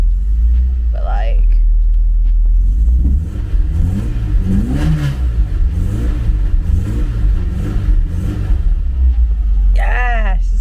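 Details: Porsche 924 after re-soldering pins on the fuel pump relay: engine catches and settles into a steady run, then several clean blips climbing and falling smoothly; no misfire or stumble.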